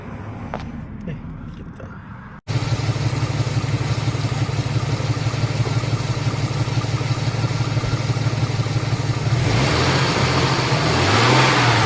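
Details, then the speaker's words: Ford EL Falcon 4.0L SOHC, warm: sounds normal on a cold start apart from a poor idle, then makes a harsh racket pulsing about three times a second that rises with revs. "sounds normal when you first started except it idle sucks then when it warms up it makes this God awful racket"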